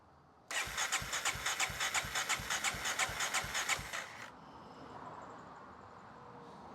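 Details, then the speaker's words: 1994 Honda XR650L, unstarted 14 years, cranking after spark restored, fed from a gas can, no oil showing on the dipstick: regular starter cranking, about three strokes a second for three and a half seconds, trying but not catching yet. "yep it's trying yep"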